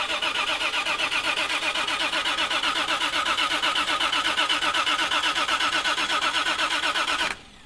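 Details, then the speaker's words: Cranking, no start on a 2JZ-swapped Hellcat with FuelTech FT600 ECU, first start attempt: fast, even starter cranking about four turns a second for seven seconds, never catches. "So, the starter should kick if I jump pins 87 and 30 on the relay, which means that I connected something wrong inside the fuse box."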